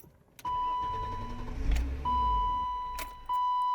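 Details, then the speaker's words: Car after Megasquirt engine-management install, battery relocated: quick, even cranking spin with door chime before the starter cuts; turns over briskly; normal fast cranking. "I'm just going to crank it and you guys can hopefully hear how quickly it's still"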